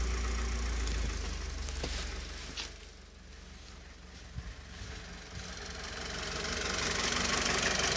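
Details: Mitsubishi 4B11 engine at idle: regular light knock about four per second, rising and falling with engine speed; source of the knock unknown.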